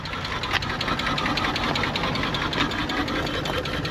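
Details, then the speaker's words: Nissan R34 Skyline at 149,000 km, parked in the weather for 10 years, first start in years on stale fuel with no coolant: uneven idle with irregular stumbles and ticking and a horrible misfire, though it idles on its own power. "The fuel is stale. The engine sounds like ass. It's got no coolant in it, but she's actually staying on under her own power. As you can see, as you can hear, it's got a horrible misfire."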